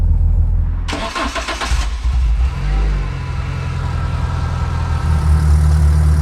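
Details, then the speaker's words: Renault Clio 172 Cup stripped track car, first start after about eight months stored on trickle charger: engine cranks, catches and settles into low idle with a loose rattle underneath from the aftermarket Pure Motorsport gear linkage kit. "does unfortunately have this horrible rattle that you may have heard earlier in the video on the startup"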